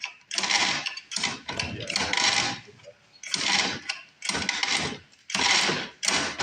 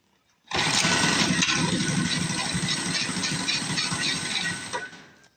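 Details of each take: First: New recoil starter on a cheap used mini bike being fixed up, pulled seven or so times, each a smooth even whirring zip stopping cleanly with no catching or grinding; the starter sounds healthy. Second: Small engine on a $50 mini bike buzzes fast and ragged at a low idle, then dies; owner unsure whether water on the kill switch grounded it out or a fuel issue, leaning towards fuel.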